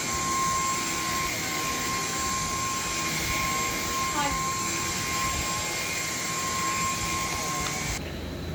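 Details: Cordless vacuum running normally: steady high motor whine with an even airflow hiss, no surging or rattle until switch-off; working fine apart from minor power head and bin quirks.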